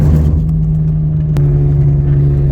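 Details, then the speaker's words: 2005/2006 Saturn Ion front-wheel drive: steady low howling hum from about 30 mph and at highway speed, unchanged when transmission shifts and RPM drops, louder while slowing down; worn front wheel bearing/hub assembly. "you hear that hum and it's going to stay exactly the same so when the engine shifts here the noise isn't going to get any greater or lower RPM's just shifted engine got quieter home stayed exactly the same home stayed exactly the same"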